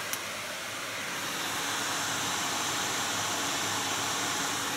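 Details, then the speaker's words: GTX 980 graphics card fan at full speed, measured about 72 dB close to the card: steady, even rushing whoosh with hiss, no ticking, rubbing or wobble; healthy fan. "So it's about 72 decibels, but again, how many decibels is it up here at the desk?"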